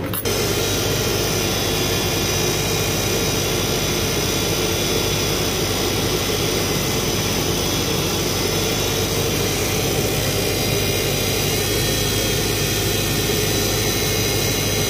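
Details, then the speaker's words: 2007 Subaru Impreza at idle, reservoir found nearly empty, fluid added, serpentine belt replaced: constant high whine with groaning undertone and a burning-belt smell; power steering pump worn out, to be replaced. "definitely sounds like the pump's making a lot of noise still."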